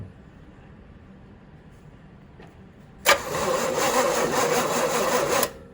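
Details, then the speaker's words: 1966 Chevy Impala sitting about 24 years, unused since 1999 or 2000, cranked on the key in park; a couple of seconds of sluggish cranking, about four strokes a second, never firing; turning over slow. "It's turning over slow, but it's turning over."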